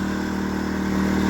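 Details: New Predator 2000 inverter generator on its first run after unboxing, with only enough fuel put in to start it: a steady, even drone with a firm low hum and no knocks or surging; normal, healthy running.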